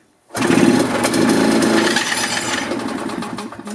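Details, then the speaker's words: 1990 EZGO Marathon golf cart two-stroke with oil injection, drive belt off, after carburetor work: catches and settles into a raspy, uneven two-stroke chatter, running on its own; it starts. "so we got the belt off because I had to tow it so she runs at least it started"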